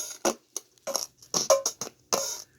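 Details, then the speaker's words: 1985 Roland TR-707 drum machine playing a pattern: irregular scratchy crackles and pops (static) over the drums from a dirty potentiometer; owner suggests spraying deoxidizer on it. "uh there's a little bit of static here when you let me demonstrate that see if i start it up okay listen real quick hear that"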